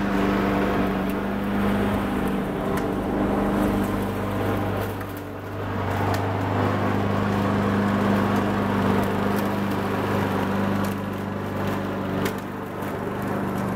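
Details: Honda Harmony 215 mower engine, warm, after a third carb cleaning; idle mixture screw tip broke off so there is no low-end adjustment. Even, steady low hum with a smooth firing note, no misses or surging: running cleanly.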